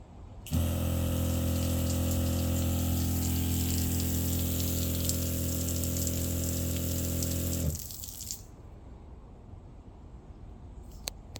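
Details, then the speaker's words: Newly installed SEAFLO water pump at full flow with pressure switch working: steady deep hum and low drone with water spray for about seven seconds, then stops; lower bass harmonic, less tinny than the old bulkhead-bracket-mounted pump; runs normally. "I would say it's a lower harmonic. I don't hear as much in the high frequency, which may have been the bracket mount to the bulkhead, even though it had rubber washers. This sounds more bass, not as much of a tinny sound."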